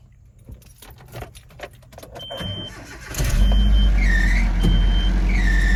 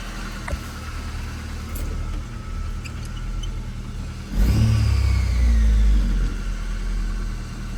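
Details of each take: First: Nissan Frontier at startup, before the alternator belt was replaced. After cranking, high chirping squeals come and go. A loose alternator belt is slipping, with its tensioner near maximum reach. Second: Nissan Frontier's first startup after a new alternator belt was fitted to cure a startup squeak, belts earlier washed of grease and grime: engine catches, settles into a steady idle, two clean revs rise and fall smoothly; sounds healthy.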